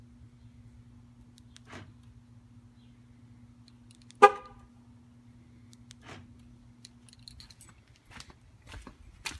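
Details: 2013 Jeep Wrangler JK no start, days after loud slow clicking at 12.9 V: pressing key fob buttons gives only a brief feeble horn whimper, locks and lights not responding; battery too flat to power the horn.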